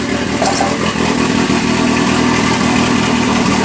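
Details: 1981 Alfa Romeo Spider Veloce, first start in about 8 years, warming up cold in the garage: loud, raw, blatty idle with a slightly uneven beat, because the exhaust is missing a section.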